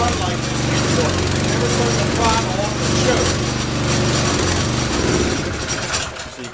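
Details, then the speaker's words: Honda snowblower after carburetor fix for years of surging and running only at full throttle: small engine holds a steady, even beat at constant speed with no hunting or surging; running normally. "see it's back to running normal now which is the first time it's done that forever"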